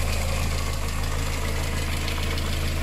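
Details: Petrol engine, idling: a light, fairly even tick about three per second over the low rumble, possibly lifter tick; an early-stage head gasket failure has streaked the coolant. New head gasket, head bolts, coolant and filter are planned.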